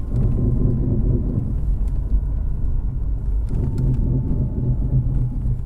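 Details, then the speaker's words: 2008 Subaru Outback while driving: deep rumbling grinding growl rising with speed, worse on left turns; badly worn front wheel bearing, replaced. "when you turn left grind's really bad i'm just gonna stop at the stop sign and go back home okay"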